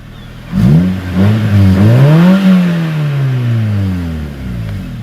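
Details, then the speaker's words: Freshly welded custom exhaust, just after install: smooth blips rise and fall cleanly with a quiet, deep, mellow note and no rattles or misses; healthy engine revving. "That sounds so good."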